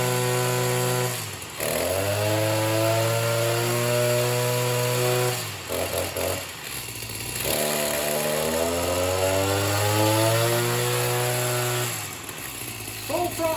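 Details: Oleo-Mac BC240 strimmer, assumed 24cc two-stroke, after spark plug cleaning and warm-up; buzz climbs and sags unevenly and drops out, not revving properly; owner suspects blocked fuel filter in tank.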